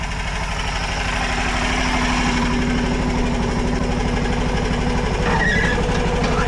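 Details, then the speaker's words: Diesel machine shuttled forwards and backwards: steady chug with a thin high squeal coming and going on movement, newly appeared that morning; owner suspects it is under the plates, source unknown. "I'm going to get up here and move this thing forwards and backwards. Hopefully, you'll be able to hear it squeaking. It never did that before, but it's squealing really bad."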